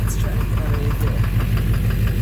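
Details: 2009 Chevrolet Silverado 3500 dually, Duramax LMM diesel, 59,900 miles, at idle: dull even knock about six times a second deep in the engine. Possibly bottom end; oil analysis shows no abnormal wear metals. Source not pinned down.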